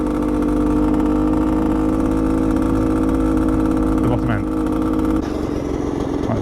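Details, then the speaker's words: Bultaco Alpina 350 two-stroke on a test ride: a steady droning tone over the engine stays the same in any gear, in neutral or with the clutch in. Rider rules out the gearbox and suspects bottom-end bearings. "it just doesn't sound right well i hate to say it but it's kind of a bearing noise"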